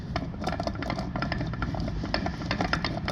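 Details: Removed rear differential from 2016 Lincoln MKX AWD, originally noisy, turned by hand beside the new unit; uneven gritty clicks and knocks rather than smooth spin, worn bad differential.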